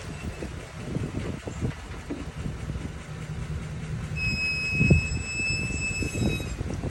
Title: Brake noise after full stop or coasting to a full stop ram 1500